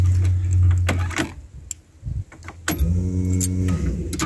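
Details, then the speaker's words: Volvo 950 project with new wiring, first key-on with no start: steady low pump hum for a couple of seconds with relay clicks; fuel pump relay triggering, normal fuel pump priming. "That's the fuel pump going. Yeah. So that primed."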